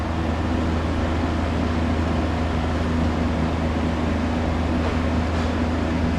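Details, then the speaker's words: Ice Air PTAC unit that trips its breaker and won't cool: steady, unchanging low compressor hum under fan rush, with the compressor staying locked far too long on start. A locked compressor is suspected, not confirmed. "You hear it running. That's the compressor drawing that. That's staying locked for way too long."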